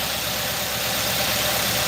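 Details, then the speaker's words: 2018 Nissan NV 3500 5.6 L with sludged engine after oil flushes, misfire in cylinder 6: uneven idle with faint stumbling rhythm under a hissy note, still shaking; ignition coil misfiring too long and bad. "it's still shaking i can tell it's misfiring yeah that ignition coil has been misfiring too long and ain't no good"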